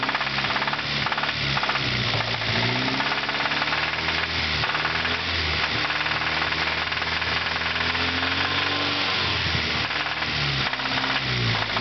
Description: my 92 integra about to shoot the rod out the block before it gets the new motor